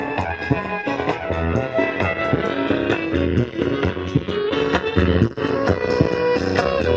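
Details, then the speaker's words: Sharp active speaker, model CBOX D888WB, with two 8-inch speakers per stereo box, playing music before repair; notes come through rough, hoarse and crackly, a distorted output whose cause is not yet found. "ya nah jadi seperti itu teman-teman suaranya itu kelerek kelerek"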